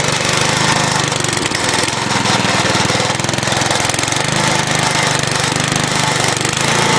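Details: Scrapyard-found crank-start Briggs & Stratton push mower running on fresh gas with additive after cable adjustment: fast, even single-cylinder putter holding steady speed without stumbling; runs properly.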